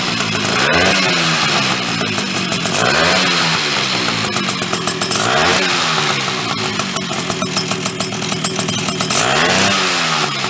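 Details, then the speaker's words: Chrysler Sno-Runner snow cycle (title says 1979, speaker says mid-70s), sat over 40 years, revived; two-stroke started on choke with a shot of old fuel, buzz rising and falling with repeated throttle blips, picking up cleanly; runs fine. "it lives it lives with that old crappy fuel too awesome"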